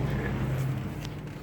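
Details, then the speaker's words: Mercedes, non-4MATIC, 88,000 miles, cooling fan already replaced by a shop and actuated by scan tool at a 50% duty cycle: steady whooshing hum at medium speed, with no scraping or rattle. Normal cooling fan operation. "I do hear the fan on fan is on and it's about a medium speed"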